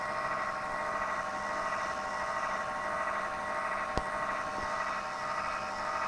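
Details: Zalman PC power supply making a strange noise: a steady high buzzing whine with several fixed tones and no change in speed; points to an internal power supply fault.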